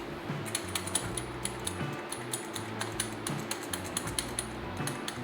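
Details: 2011 Ford Mustang GT, removed wheel hub assembly turned by hand: dry, gritty clicking from a worn wheel bearing, with music behind it.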